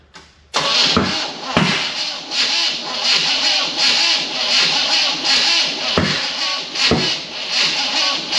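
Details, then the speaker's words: 1974 Chevy K20 small block, first start after sitting outside for years, distributor moved teeth during timing setup, weak battery: loose lumpy running with uneven surges, sounding like only two cylinders firing; ignition timing incorrect. "sounds like the same two that are fire though it does only sound like two that are firing you're right"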